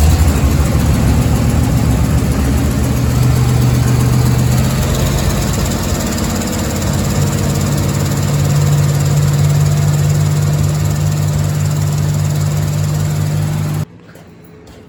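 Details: 1987 Chevy 3500 camper special 454 TBI V8 in cold weather, just fitted with new cap and rotor (old cap corroded, cracked, arcing): idles lumpy with a loping, stumbling beat before shutting off, misfiring on cylinders whose spark plug wires are off.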